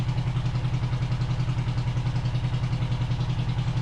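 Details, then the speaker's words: 500cc twin-carb buggy on a stand, on choke while warming up before carb balancing after sitting since winter: lumpy idle about three and a half beats a second, hollow uneven beat; one cylinder dead, no vacuum on it, running on one cylinder. "Yeah, put it on. We are only running on one cylinder. Yeah. The whole time."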